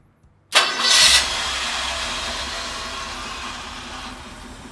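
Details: Ford 390FE V8 on a run stand after swapping valve covers to add the PCV system; it had a major oil leak, suspected rear main seal. Quick crank, catches at once, brief rev, then an even, steady idle with no misses or knocks.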